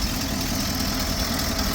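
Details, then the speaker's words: 1977 GMC Eleganza II motorhome, 455 cubic inch V8 with Edelbrock carburetor, heard inside the coach at the motor access hatch after a new exhaust donut install: steady, even low rumble, no ticks or puffing; exhaust leak cured. "And she's just purring right along like a little kitty, like a 455 cubic inch kitty."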